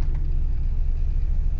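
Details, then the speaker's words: Jeep Grand Cherokee WJ 4.7 V8 (233 hp) started after sitting most of the winter with the battery disconnected; it started without problems. A deep, steady rumble with no knocks, ticks or hunting, an even settled idle after a cold start. "ну чё заводим вся посмотрим как он она заведется завелся без проблем простояла у меня долго конечно"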